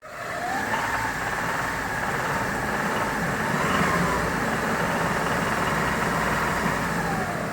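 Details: Hyundai Terracan 3.5, driven a lot and hard: faint loosely regular knock heard around 2000-3000 rpm; disappears when cylinder 4 gas feed is pinched on LPG; suspected stuck hydraulic lifter, rod bearing, wrist pin or piston, unresolved.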